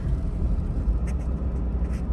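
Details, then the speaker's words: 2000 Lexus GS 300, 115,000 miles, check engine light on, stalls when braking: idle suddenly turns deep, uneven and thumping, near stalling; acts like vacuum leak, scan shows P1349 VVT system fault bank 1. "oh whoa oh it's running like crap now"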